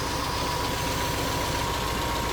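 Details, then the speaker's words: Todd's 1957 Volkswagen Beetle air-cooled flat-four, first run in four years after steering, brake, clutch and electrical work; steady, even idle with a regular low throb, no knocks or misses; running smoothly. "- [Todd] It lives. - [Matt] One running Volkswagen. - [Todd] It's been four years."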